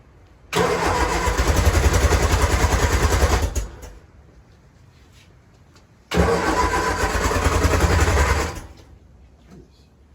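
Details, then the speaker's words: 1966 Triumph Spitfire Mk II with SU HS2 carburettors, after timing adjustment, cranked on choke with no gas: two even cranking bursts of about three seconds with no catch; cranks but won't start, possibly flooded (wet). "choke with no gas okay it could just be wet"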